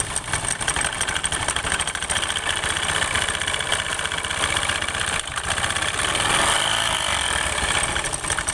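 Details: Scooter idling with the CVT cover opened: harsh metallic rattle and hiss, uneven and busy at the belt drive, from worn, damaged variator rollers causing noise and reduced performance; noise gone after replacement.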